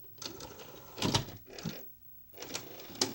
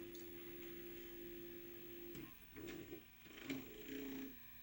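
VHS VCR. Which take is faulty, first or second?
first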